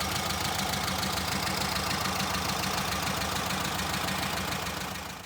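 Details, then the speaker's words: Air-cooled VW Brasília after a DIY fuel pump replacement, having previously started only with fuel syringed directly into the carburetor: a steady, even idle with the typical busy air-cooled clatter and no misses. "Well, folks, mission accomplished. Brasília is alive again."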